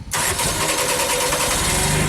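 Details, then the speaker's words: JLG baby scissor lift engine with new starter and battery, after earlier slow crank and stalling: short crank, catches almost at once and settles into steady idle; healthy start. "Yes. Very good. We'll let it run for a little bit, warm up."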